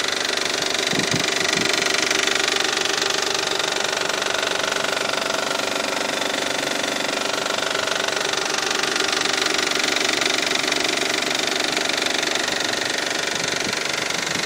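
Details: 2002 Isuzu at idle with a steady, fast tick-knock, about four a second, over a bright running noise; timing belt and water pump replaced in 2009; no knock at first start, knocking begins once revs drop to 1500 rpm.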